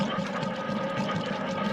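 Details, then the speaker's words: Goodman gas furnace flashing 6 codes, with a wet bubbling gurgle over a steady fan hum. The exhaust vent is full of water because roofers pushed it down and it lost its slope; the fix is pulling the vent back up. "This vent is clogged, and we can see it's full of water, so this is probably our problem. And you can hear it gurgling."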